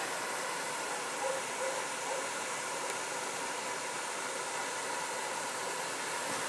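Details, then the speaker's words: Over-the-range microwave exhaust fan heard outdoors at the newly installed wall vent cap: soft, steady rush of air with no rattle or flutter; normal airflow. "Well, you can certainly hear it working."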